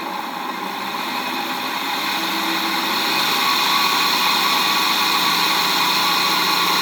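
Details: 1HP three-phase motor for Bridgeport mill, apparently wired for low voltage, first run on VFD at low variable speed in forward, before bearing replacement: loud rough hissy whir climbing with speed over steady tone; appears to work electrically but bearings worn.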